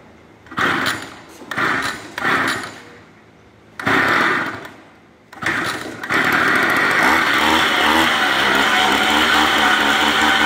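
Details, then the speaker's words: Free Stihl FS81 trimmer, previously seized and freed with a socket, now running: a few spluttering bursts, then it catches and holds a raspy, not crisp buzz; rough running, needs adjustment. "now you hear it it runs but it needs to adjust it definitely but it ran and it didn't run the worst"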